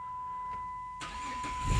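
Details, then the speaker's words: Chrysler 300/Dodge Charger-type car with NAG transmission, codes P0607/U0101: turning key to start gives a steady chime about a second before the starter catches and engine fires; extended crank time from a faulty engine control module. "so when i turn the key to the start position i just get a cur let's do it again take a listen it started that time"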